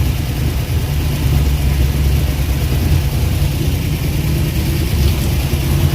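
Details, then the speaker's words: Abandoned Eleanor-style Mustang, Ford 289 V8, first run in over a decade after fuel pump started working: rough idle with heavy uneven chuffing like a choo-choo train, compression escaping; smoking from both exhaust pipes, radiator pressurized; owner suspects blown head gasket, possibly jumped timing. "It's got a large, really bad puffing like a choo-choo train. Looks like it's got a blowed head gasket, y'all. A lot of compression coming out."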